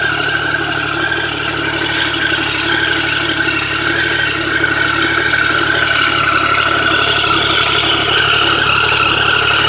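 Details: Triumph 1050 engine holding a steady speed with a busy, light clatter throughout: an abnormal mechanical engine noise with no clear cause.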